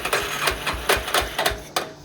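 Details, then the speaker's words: 1991 Yamaha Warrior single-cylinder ATV cranking on a makeshift battery after fitting a new aftermarket wiring harness, no fuel in it; uneven chuffing bursts two to three a second with near-fire puffs, it's getting spark and wants to fire. Normal cranking without fuel. "so crank's over and as you can hear that it does want it is wanting to fire up so it's getting spark"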